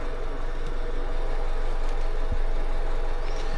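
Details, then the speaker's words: Honda Civic after head gasket repair, new coil packs fitted after coil swap showed misfires following cylinders: steady, even low idle, regular pulse about three and a half beats a second, no stumble; auto scan shows no more misfires. "And so anywho, it's running right now. I'll let you hear it and judge for yourself."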